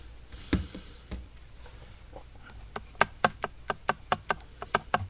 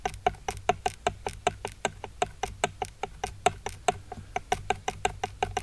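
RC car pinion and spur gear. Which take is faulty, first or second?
second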